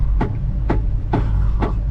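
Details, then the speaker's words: 1974 Apollo at idle: windshield wiper motor running with sharp scraping sweep about every half second over low idle rumble; noisy wiper, everything else working. "can you hear that yeah you gotta be able to hear that that is making a lot of noise hopefully it doesn't stop so let's go for a ride everything seems to be working just fine except for that wiper that's making all that noise"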